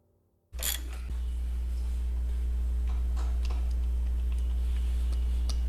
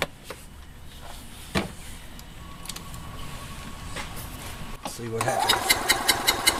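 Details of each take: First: EZGO TXT gas golf cart engine that had been running rough and skipping badly, after repair of badly worn valves: catches after a brief silence and settles into a steady, even low thrum with no misses or knocks; healthy normal idle. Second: Gas EZGO TXT golf cart twin running rough and skipping badly; spark good on both plugs; compression test gives about 130 on the driver side, none on the passenger side; starter turns it over with a lopsided, uneven rhythm: one cylinder has no compression.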